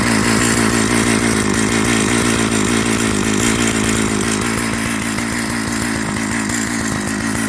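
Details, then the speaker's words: Old Jonsered 930 project chainsaw idling on its own: even, rapid popping at a steady pitch, no stalling or surging, so it runs. The bearing underneath is dry, and the air filter cover mount is stripped. "So, it runs."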